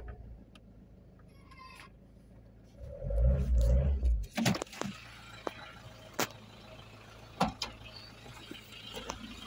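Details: 2001 Peugeot 306 2.0 HDI after ECU replacement and reprogramming to fix no-start with no check engine light: short start, then quiet, even diesel idle with no misses, only stray nearby clicks; normal idle.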